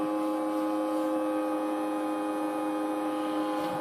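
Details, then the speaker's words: New Netgear ProSafe 24-port gigabit switch just powered up: the small cooling fan gives a steady high whirring drone with sharp tones, loud and harsh; a possibly bad fan, cause not confirmed. Noisy cooling fan. "Ooh, that don't sound good. Sounds like we got a noisy little fan."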